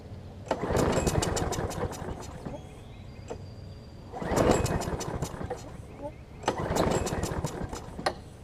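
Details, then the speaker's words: John Deere JS35 walk-behind mower, pull start, spark plug confirmed sparking, flywheel key also suspected after kickback: three short bursts of firing then dies, seeming to want fuel. Fuel starvation from a faulty carburetor, later replaced. "I'll test of the sparkplug and it was sparking so I don't know if it might be a bad plug as well I'm not sure because it sounds like it really wants to get gas but it's not at least I don't think it is"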